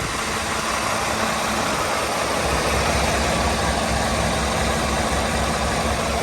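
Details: International Prostar with a Maxxforce engine after repairing the retrofit fan belt idler pulley, warming up: steady, even diesel idle with a constant hum and no squeal, chirp or belt slap. The engine idles normally.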